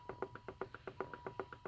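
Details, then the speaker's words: 3.0 6G72 V6 on MegaSquirt MS3 with X-board, wasted spark, fired in test mode with plugs grounded on intake plenum: faint, even sharp clicks about eight a second; new coil reads fine, spark weak, test light not picking it up, engine won't start. "got quad spark there grounded right here on the intake plenum and if you listen closely I think you can hear it clicking"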